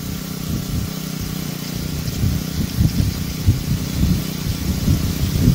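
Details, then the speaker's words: Water pump driven by a Honda GX35 brush-cutter engine, after carburetor repair and idle adjustment for a no-start: small single-cylinder buzz at high speed, an even pitch with slight surging; healthy, a normal response. "đảm bảo rằng động cơ chạy tốt ở tốc độ cao. Tốc độ quay cao cũng rất mượt mà. Đây là một phản ứng rất bình thường."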